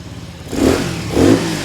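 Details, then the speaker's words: Honda CT70 clone, 127cc single, 38 miles, just started on first kick with choke on: two quick, crisp throttle blips rising and dropping back cleanly, no knock or rattle; snappy and healthy revving. "Damn, this thing's pretty snappy. Is it a 125? Yeah, 127."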